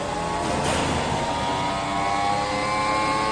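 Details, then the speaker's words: Lexus NX at about 100,000 km, driving with a steady tonal hum over road noise. The cause is worn bearings inside the K114F CVT, repaired by rebuilding the transmission, not by replacing the driveshafts. "Итак что в действительности гудит шум подшипники гудят здесь"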